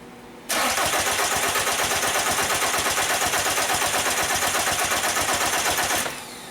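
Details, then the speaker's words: 2002 VW Jetta 1.9L TDI ALH won't start: about five seconds of steady cranking with no firing; injector line test shows fuel barely coming out, injection pump not building enough pressure to open injectors. "obviously there is some fuel coming out but I'm not seeing any squirting up at all I'm I'm looking through the windshield in order to see this and it is just not coming up high that is not good enough these really need a bunch of pressure to open those injectors"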